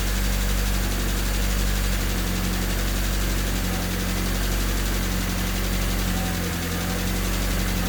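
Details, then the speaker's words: Honda Civic with swapped D16Y8 engine, just after valve lash adjustment to spec, not fully warmed up: low, uneven idle drone that swells and sags, a hunting idle that persists; loud ticking too, owner suspects injectors. "It's still idling a little weird. It has a hunting idle."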